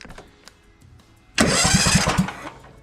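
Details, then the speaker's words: New McCulloch/Poulan Pro 452 cc vertical shaft engine in a Craftsman LT1000 tractor, no exhaust fitted, cranking before fuel is added: steady starter churning about three turns a second, no firing; spins over freely. "all right so it cranks we're gonna add a little bit of gas to the tank and see if she'll fire it'll be loud though without exhaust"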